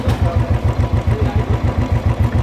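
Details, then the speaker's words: Royal Enfield Bullet 350 Electra after repair of top-end tapping caused by no oil pressure reaching the top: even deep single-cylinder thump idle with no tapping; normal idle. "गाड़ी कितनी स्मूथ हो गई है, किसी भी चीज़ की इंजन से आवाज़ नहीं आ रही है और एकदम क्लियर है।"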